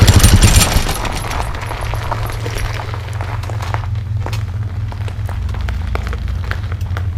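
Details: Fresh Breeze Monster paramotor, two-stroke, back from repairs, choke off, on the drive: steady even buzz at moderate throttle with a smooth low drone and no misses; good thrust, healthy motor.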